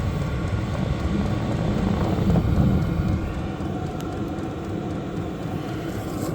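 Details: Vevor 8 kW diesel heater, first startup on battery with about half a tank of fuel, no outlet duct fitted, raised on wood blocks: a steady combustion roar with a smooth blower rush and soft exhaust note. Normal running.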